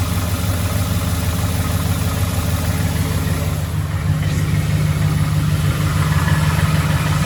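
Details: 2011 Ford F-150 5.0 V8 at low idle: dull, somewhat uneven knock about two per second; suspected rod knock, not confirmed.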